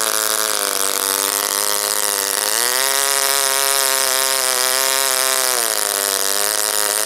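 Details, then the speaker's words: OS Wankel rotary on 5% Omega fuel with extra castor and a 10x4 APC prop, run after cooling from overheating: high buzzing tone sags twice and recovers, unable to hold top revs. "I wasn't really trying to get peak readings I'm just trying to figure out why the engine doesn't hold a high throttle or high rpm"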